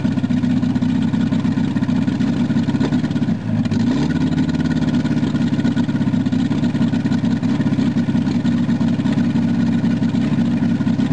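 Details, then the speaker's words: VW Rabbit after sitting a long time, started with cold start control pushed in and out again after it ran wide open: settles from high flare into a steady even idle with constant low drone; running normally. "Well, I got her to idle down at least."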